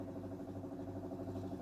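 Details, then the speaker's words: Vauxhall Firenza HPF with Lotus engine conversion, before first start: low, even buzzing whir with faint fast pulse, fuel pump switched on priming fuel to the filter normally. "turn the fuel pump on and see if we're going to suck some fuel through here so if you listen for it if i reach under here and do the switch it should turn on"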